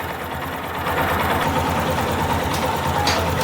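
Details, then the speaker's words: Yamaha Fazer 250 single-cylinder, hot idle: light, quick tapping about three per second riding over the engine note, the same "tek-tek" noise as before, suspected to come from the cam chain tensioner. "ela está com o mesmo barulho o sectec ela tá com o mesmo barulho"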